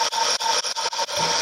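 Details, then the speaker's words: Restored 1930s Carl Haider violet ray machine, electrode inserted, just switched on: harsh, steady high-pitched buzz from the vibrating interrupter contacts inside, dipping briefly a few times, working normally. "and you start to hear the buzzing noise of the [Music] contacts inside"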